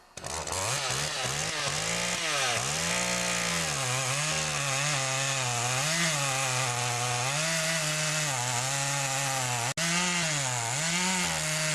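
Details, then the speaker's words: Makita DCS 400 (Dolmar) chainsaw after carburetor adjustment and cleanup, test cutting wood: two-stroke revs up and back down cleanly with a crisp buzz that holds steady under cutting load without bogging; runs healthy. "up so now that I know she runs good I'm just going to put back the plastic"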